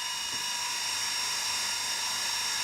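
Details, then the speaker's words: Fan in a tiny-house heating setup: constant high-pitched scream with a harsh gritty hiss, never easing; one fan bearing is worn and grinding. "oh yeah it is screaming so obviously one of the bearings in there is a little nasty grinding away as you can hear but it's okay I still have backup fans if I need t"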